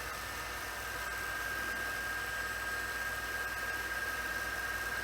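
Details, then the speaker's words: Sony SL-C5 Betamax after playback idler tyre repair and torque setting check: quiet, even fast-forward whirr with faint steady whine and light hiss, no scraping or thumping; transport runs smoothly, slight noise possibly from the cassette. "And fast forward. It's absolutely fine."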